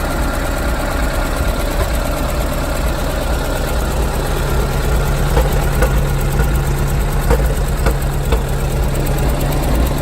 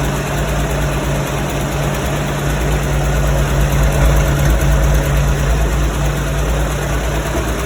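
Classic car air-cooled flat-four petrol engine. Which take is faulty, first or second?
first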